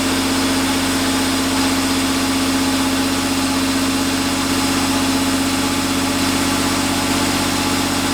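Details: 1990 Chevrolet Cavalier Z24 first start after an 18-month restoration with temporary wiring and intake: even, steady idle about 160 pulses a minute, no knocks or misses; oil pressure good, smoke believed to be steam.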